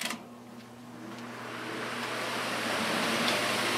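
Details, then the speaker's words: Dayton fan on high after increasing blade pitch, motor rated 1.3 A drawing slightly more: rising strained whoosh over dull motor hum; blade pitch set too steep, overloading the motor, pitch may need decreasing. "I may have to decrease the pitch a little bit I got it a little bit too far I'll turn it up to high and you'll see why"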